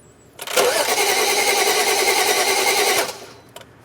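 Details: 2011 BMW 335i towed in, cranks but won't start (DTC 2DD6, 2DCF), two ignition coils found disconnected and reconnected: starter spins at a steady, even rhythm about two and a half seconds, never fires; camshaft rotation suspected, unconfirmed.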